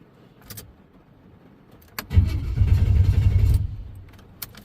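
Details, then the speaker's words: LS-swapped OBS Chevy truck stranded roadside in rain after starter fix; about a second and a half of low, steady cranking, no firing; fuel pump heard running, acts like it's getting no fuel, possibly crank sensor, unconfirmed. "was acting like it ain't getting any gas um but we have gas in it I can hear the fuel pump coming on"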